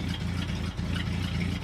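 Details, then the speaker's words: 1966 Ford F250 carbureted V8, cold idle after the fuel tank reinstall: a low, steady burble at an even idle with no stumbles or knocks. It sounds healthy on clean fuel, and the exhaust moisture is just condensation from a cold night; a normal idle. "It's chugging away, I think we're golden."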